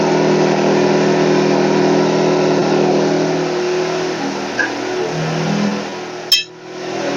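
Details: WEN 2000-watt inverter generator, about a year old, in for a warranty no-start; the fix was clearing a clogged spark arrestor, not a valve adjustment. After repair the engine runs at steady, even speed with a smooth hum, no misses or knocks.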